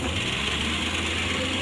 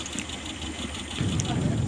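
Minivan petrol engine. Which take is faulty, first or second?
second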